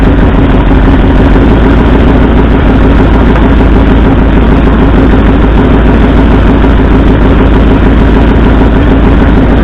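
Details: 1964 Ford F100 V8 at idle: a loud, lumpy, stumbling beat; cylinder-contribution testing by pulling plug wires found no rpm drop on the driver-side front and passenger-side second cylinders, so two cylinders are misfiring.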